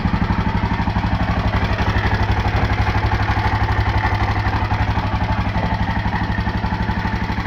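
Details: LC4 single-cylinder engine idling with a steady low thump and a regular clatter about four times a second; the source of the noise is unclear.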